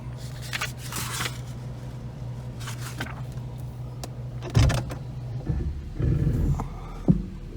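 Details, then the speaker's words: 1991 Mercedes R129 500SL, 38,852 miles, engine idling while the wheel is turned at standstill and in park. Scattered clunks and creaks, believed to come from the passenger-side steering components. Steering clunk, cause not pinned down. "I don't like that noise um yeah it does it sitting still"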